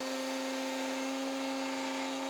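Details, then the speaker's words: Router in the jig fitted with an upcut spiral bit that lifts dust up and out of the cut: steady, clean high hum holding pitch without bogging or chatter; the bit cuts freely, unlike the clogging flush trim bit. "An upcut spiral bit is much better suited to this task because it lifts the dust up and out of the cut so the bit can cut more efficiently."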